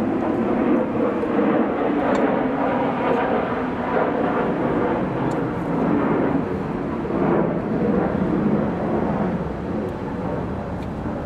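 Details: Pool pump motor after capacitor replacement for humming/breaker-tripping: steady, even whir, no knocking or grinding, outdoors with some wind; normal running.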